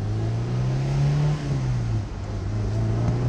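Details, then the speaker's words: Honda S2000 that had a misfire check engine light after its top blew off, revved in neutral after the fix: steady, even engine note with no stumble or bog, idling lower and smoother, no dash lights; running normally. "okay she seems like she's running much much better"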